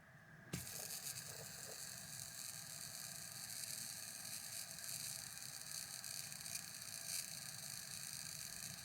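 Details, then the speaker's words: Ceramic hybrid bearing for restoring a mid-1990s Shimano Curado Bantam CU 201 baitcaster, flicked by hand: steady, even hiss-like whir with no clicks or roughness; spins nice and free, slightly louder than oiled or greased bearings. "those babies spin nice and free. And that's what you get with those ceramic hybrid bearings is they're nice, a really good free spool."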